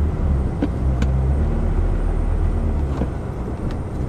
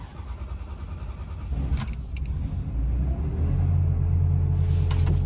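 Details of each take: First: Ferrari 360 pulling away after a cold start, after cleaning the MAF sensors to cure hard cold starts and surging revs; a low, even engine drone with no surging or jerking. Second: Ferrari 360 cold start: catches with a stumble and splutters, with unstable revs rising and falling. Fixed by cleaning the dirty MAF sensors.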